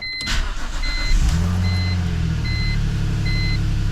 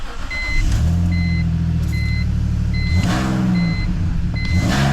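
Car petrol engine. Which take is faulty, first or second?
second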